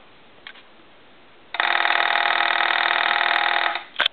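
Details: TA military telephone model 954, converted for home use with a TA-1-style mechanical ringer: a crisp, even metallic bell rattle lasts about two seconds and stops cleanly; ringer works properly.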